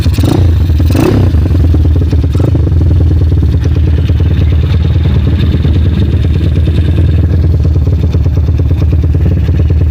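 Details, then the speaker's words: Honda Mega Pro-based CB 240cc single-cylinder, 5-speed stock ratios, PWK 28 carb, jets 35/120, throttle cable still pulled: loud, choppy, uneven idle with irregular beats from high cam overlap. "Ini suara langsamnya putus-putus seperti ini kalau menggunakan overlap tinggi."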